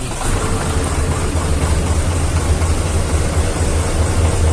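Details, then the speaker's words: Hino Vector tronton dump truck, PTO engaged and clutch released with an empty bed: steady low diesel idle with an even pump hum as the bed lifts; the hoist works normally, though a loaded bed needs added throttle. "Tuh, naik. Berarti harus tambah gas kalau ada muatannya ya. Oh. Tuh, hidroliknya yang boomnya itu yang bikin dia ngangkat."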